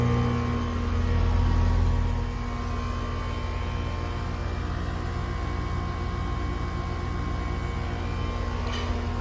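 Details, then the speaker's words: Outdoor AC condenser unit, serial showing 2018, after a cleaning on a no-AC service call in Yonkers, NY; steady low hum and even fan whoosh, no rattles; pressures and temperatures check good with 6-8 superheat. "We're good. I have between a 6 and 8 superheat, so the pressures and temperatures check good right now."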